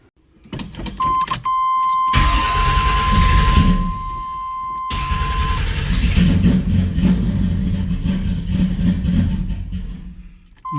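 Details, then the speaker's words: Camaro V8 after distributor reinstalled: chime, then it cranks, catches and settles into a lumpy, uneven cold idle; ignition timing a little off, distributor first turned the wrong way, being tweaked closer. "right time is a little off you give her a tweak I went the wrong way with the distributor first time so hopefully getting closer"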